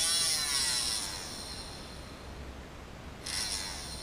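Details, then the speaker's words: Modded blaster flywheel motor, second flywheel of the set: high thin whirring buzz that fades and returns, rough and uneven; the flywheel isn't spinning true, so it buzzes, runs poorly and isn't good enough for 180s or high-rev use. "Yeah, that one's not very true either. So, you can see you can hear that that also buzzes and doesn't run terribly well."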